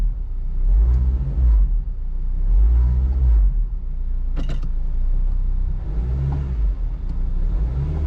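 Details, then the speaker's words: Car at idle and revving in park and reverse, window up: deep rumble swelling into a heavy throb about every two seconds, felt in the seat, varying with rpm and loudest in reverse and park; suspected worn motor mounts. "Okay, so I don't know if you guys can hear that, but it's really loud vibration, and it's mostly heard. You can feel it a little bit."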